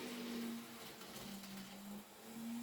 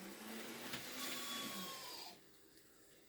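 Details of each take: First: Second-hand Kato N gauge CSX locomotive, re-railed and running later on: a quiet, steady low hum with slightly wandering pitch and no high squeal; the earlier motor squeal has gone and it runs faultlessly. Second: Second-hand Kato N gauge CSX model locomotive on first test run: a thin, high-pitched squeal over the motor's whir for a couple of seconds, then fading as it nearly stops; dry motor suspected, needs lubrication.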